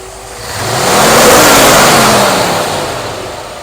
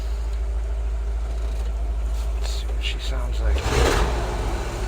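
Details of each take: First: 1964 Ford F100 with a new Pertronix cast distributor, timing about 19° (TDC only eyeballed): a clean single blip climbs smoothly and falls back to idle without stumble or popping; normal throttle response. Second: 1964 Ford F100 V8 with new Pertronix cast distributor, timing moved from 16 degrees initial at about 700 rpm, 20-21 inHg vacuum: low loping idle stumbles and sputters unevenly, never steady; engine dislikes the new timing setting.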